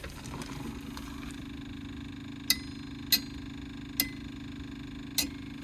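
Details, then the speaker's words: Tree shear attachment on heavy plant, newly wired switch circuit: four sharp relay clicks over a low engine hum as the joystick switch earths the circuit to the solenoid; the wiring works properly. "That clicking noise makes the relays go click click."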